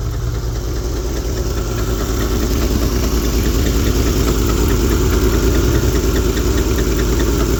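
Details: 1971 Lincoln Continental Mark III V8, freshly rebuilt with Edelbrock Performer intake, Street Demon 625 carb, new mechanical fuel pump: steady idle with regular light ticking about two beats a second; owner blames the Carter mechanical fuel pump, also suspects exhaust leaks.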